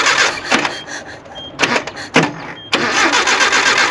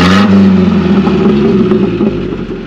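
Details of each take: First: Classic Nissan 720 pickup, sat about 20 years: several short cranking bursts, about four turns a second, never catching. Owner suspects an ignition issue; carburetor also not happy. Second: Classic Nissan 720 pickup, manual, after flushing water from the fuel and a tune-up: smooth even low idle around 550-600 rpm, no knocks or misses; runs healthy.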